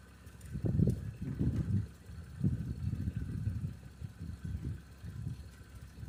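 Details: 1989 Toyota Cressida that sat for years, just revived: low rumble surges a few times then settles to a steady idle, no knocking; brief initial smoke cleared. Normal idle.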